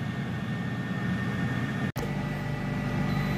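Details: New Pampered Chef air fryer just after a 15-minute air-fry cycle ends: steady, even fan whoosh with a faint high whistle and no rattle or scrape; fan cooling down normally.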